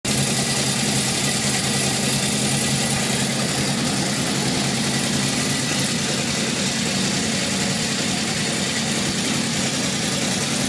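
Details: 1978 Honda CB750F four-cylinder idling after metal shavings in the oil pan, low oil pressure at warm idle and a stall: a steady dull metallic rattle in the exhaust note. Owner suspects crankshaft bearings.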